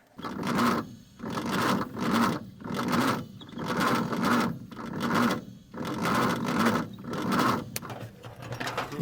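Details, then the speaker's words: 1950 Nash Statesman unrun 23 years, cranking on 6 volts: starter drags engine in slow laboured heaves about once every two seconds, no start; suspected stiff accessories and a starter needing cleaning, not confirmed. "It just wasn't It was turning, but it wasn't turning fast enough."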